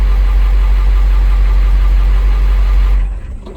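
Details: 2000 International 4700 diesel automatic truck, low mileage, no-start traced to a lost ground; after temporarily jumpering the ground the ECM powers up and it starts: steady even low diesel rumble, no misses or knocks, then shut off; idles cleanly.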